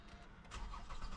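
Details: 2013 Toyota Avalon from auction, boosted dead battery, security light off: starter turns the engine over at an even cranking rhythm, compression sounding even, but it never fires; crank no start, fuel pump not running.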